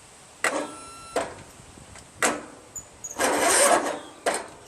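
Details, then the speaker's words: Craftsman LT1000 16 hp lawn tractor, brake pressed, battery at least 12.4 V: a few slow, labored turns with gaps, barely one revolution. Fluid in the combustion chamber suspected. "Stepping on the brake. Wow, cranks. Wow, one revolution too."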